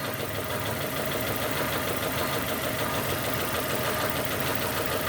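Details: 2002 Nissan Almera N16 with a QG18 cable-throttle engine, misfiring after a spark plug change; the coils are firing and the injectors are checked next, and the cause is two swapped coil connectors. A rough, lumpy idle with irregular shake, two cylinders dropping out.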